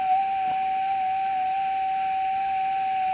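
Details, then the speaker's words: Gold metal detector reset to RX gain 10, stabilizer 8: steady high threshold tone with only a faint waver, slight residual instability; taking a setting back to 9 would likely remove it. "eight see that's a slight very slight little bit of um instability coming through there I could take it back to nine and that would probably get rid of that"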